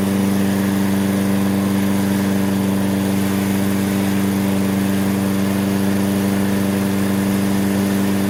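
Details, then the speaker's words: Toro self-propelled mower, Briggs & Stratton 6.75 (believed), auto choke, wouldn't restart when hot; after basic tune-up and fresh gas, steady even drone at constant governed speed as it heats up, no misses or surging; normal running. "give it a yank first pull it's cranking up first pull see what it does as the engine heats up"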